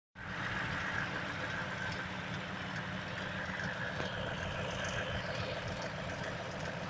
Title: Стук в двигателе...ч.2